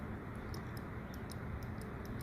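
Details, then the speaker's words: HVAC air pressure switch clicking normally: faint sharp clicks over room hum as supply-duct air pressure pulls the diaphragm in; with no pressure the internal spring pushes the plunger back up. The tiny contacts look okay. "You can hear it clicking, and then obviously when there's no air pressure, it's just going to back off, and the spring that's inside this little switch right down there is going to force this plunger back up."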